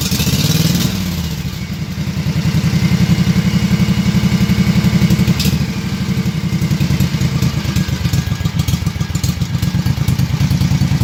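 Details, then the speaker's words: Kawasaki FH series V-twin engine, single barrel carburetor, previously rough at idle: engine restarted and screw slowly turned out until it smooths out, giving a steady, even low thump that briefly rises in speed and settles back. "and then what you're gonna want to do is fire up your engine again and then slowly keep turning this out until your engine smooths out"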